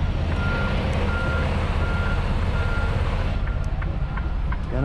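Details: Truck backing up to a delivery dock, steering cranked fully, tandems slid all the way back: steady mid-pitched beep repeating roughly every three-quarters of a second over diesel idle rumble; reversing alarm working normally.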